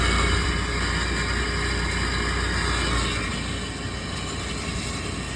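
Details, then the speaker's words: Walk-in cooler condensing unit with impacted condenser coils, box temping 50, drawing 5.5 A against 6.3 A FLA: steady low rumble with rough churning gurgle; compressor sounds terrible, gargling. Run capacitor read low, replaced with 25 µF, smoothing it and lowering amps. "It sounds terrible, you hear it? It sounds like it's gargling, but"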